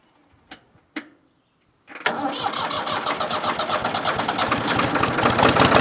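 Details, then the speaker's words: Ford 4000 3-cylinder diesel tractor after changing the misfiring front injector: couple of clicks, catches quickly, settles into even clatter about four pulses a second, now firing on all three cylinders. "All right guys, well that sounds like good news. I can clearly hear the difference in here now that that third injector is firing."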